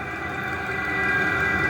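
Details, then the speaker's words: Newly installed diesel heater on first firing, not yet set up, sitting in a pail: steady fan rush with constant mid-high hum, no knocks or surges; running normally. "is the diesel heater now it's nowhere near set up the way I want it"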